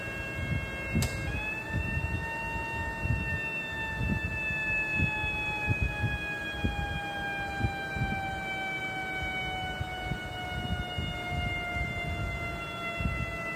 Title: Vacuum Leakage